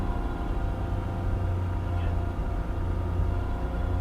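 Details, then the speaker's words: Copart salvage car started on a jump pack, with ABS, traction and stability-control lights on. It gives a deep, steady, clean idle with no misses or knocks, sounds good, and drives forward and backward fine. "sounds good guys she does she sounds real good"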